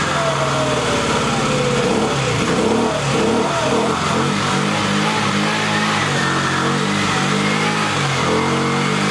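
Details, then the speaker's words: Jin Lun 50cc scooter that was hard to start, with a wet air cleaner, suspected flooded, cranked with the throttle held wide open. The uneven, sputtering buzz surges and sags without running cleanly; a float, needle and seat fix is hoped for. "I'm having a little trouble getting it started. It's acting kind of funny. It just doesn't want to pop off."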